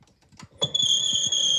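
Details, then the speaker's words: Stannah 600 straight stairlift on the rail: harsh, shrill whine starting suddenly as the lift moves with rough knocking underneath; faulty motor/gearbox, gearbox found at fault and replaced. "It's not very nice to listen to. It sounds awfully loud and horrible."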